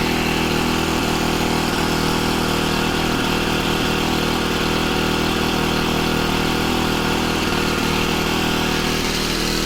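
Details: Honda FG110 with GX25 engine, new carburetor, previously ran only on half choke, idle raised to warm up before tuning; steady even drone at raised idle, no surging or stumbling; normal fast idle.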